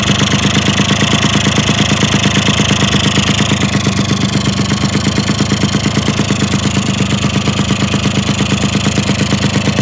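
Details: Yamaha RX100 two-stroke motorcycle after frame and stance rework and engine reinstallation, before paint: steady, even idle with a regular popping beat, no knocks or misses; healthy.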